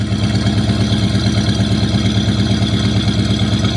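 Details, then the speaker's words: 1973 Buick Regal abandoned at least 13 years, recently revived, started in freezing cold: deep, steady burble with even pulse at idle, no ticks, knocks or misses; healthy idle. "listen to oh look at that carbon wow listen to her purr"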